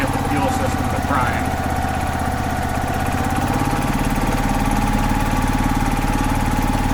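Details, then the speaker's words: 2005 Club Car Precedent gas golf cart, revived after about 5 years sitting, run slowly after adding just over a gallon of fuel to prime the fuel system. Small single-cylinder settles into a steady, slightly lumpy idle at about two beats a second; runs properly. "oh it's a beautiful thing it's great when everything works like it's supposed to"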